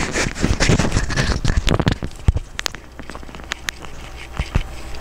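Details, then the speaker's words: Timex Marlin 40mm automatic watch, quick irregular light clicks and rattles whenever the watch is moved as the rotor, winding in only one direction, spins freely; loose rotor rattle. "you can't pick it up without hearing the movement there's no way you can touch it to pick it up without hearing the movement it's very very very annoying"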